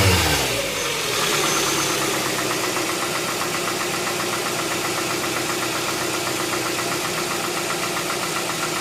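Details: 2007 Tucson 2.0 16v GLS, cold-start morning noise that disappears after about 10 km: steady idle with fast, fairly even light ticking about four per second; top-end tick, mechanic suspects lifters (tuchos), unconfirmed.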